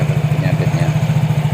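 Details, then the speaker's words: Yamaha Mio J scooter after replacing a worn seal and the damaged rear pulley sleeve, fixing earlier noise from the belt drive: steady, even low idle with no rattle or slipping noise. Normal idle. "Kita bisa melihat dan mendengarnya bersama-sama. Suaranya halus, tidak ada masalah lagi."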